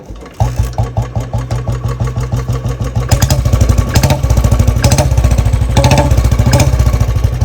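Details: Royal Enfield Bullet engine: catches and settles into about three thumps a second with a light top-end tick that grows busier with revs; ticking only partly reduced after adjustment, cause not confirmed; engine ticking noise.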